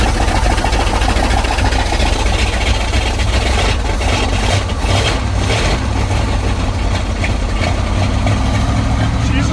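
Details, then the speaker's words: 1955 Buick Super with 455 big-block on 1973 Electra chassis: heavy low cranking rumble, catches briefly then falters after priming carb and fuel pump; not picking up fuel. Fuel starvation. "Still not picking up fuel though. Try again. Prime it again. Try to fill this bowl up. Still not wanting to grab fuel."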